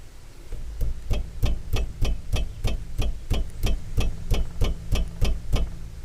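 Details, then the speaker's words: 2014 Mazda 3: rapid, evenly spaced metallic clunks, about three a second, as a worn sway bar end link is struck by hand; it causes clunking felt in the steering over bumps and potholes. Fix: end link replacement. "and that's the clunking noise that we hear slash feel in the steering when we go over bumps particularly with a rough road such as some of the roads that we have here in pennsylvania which have lots and lots of potholes"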